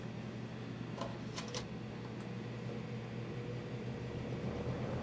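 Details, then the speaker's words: 1971 Wizard 12-inch box fan on low speed, heard from the rear: low steady hum and airy whoosh, quiet, a couple faint clicks, no rattle; normal running. "no real startup sound this is nice and quiet and from high speed"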